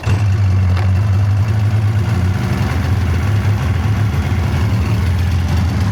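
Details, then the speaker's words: 1999 Polaris XCR 700 two-stroke snowmobile with triple pipes and exhaust valves, after adjusting drive belt deflection; deep, steady two-stroke burble with no high-pitched squeal, especially at idle: normal running, belt squeal cured. "overall, yeah, that belt deflection cleared that squeal right up. Um seems like it's sound. Seems like the motor sound."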